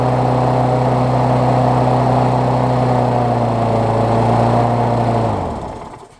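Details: Briggs Classic engine moved from a broken-mount Murray deck onto an engineless Bolens push-mower deck, first start after adding gas and 16 oz oil, on a temporary throttle: steady, even high-pitched drone for five seconds, then clean wind-down at shutoff; running smoothly.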